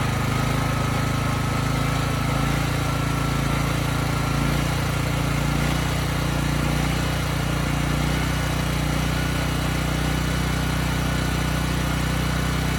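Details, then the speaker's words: Briggs & Stratton Elite Series generator (model 030471-01) after repositioning the oversensitive governor spring and backing off the speed adjustment screw: even drone holding one pitch throughout, no surging or hunting; governor steady. "Okay, good. The hunting, the surging, it's gone."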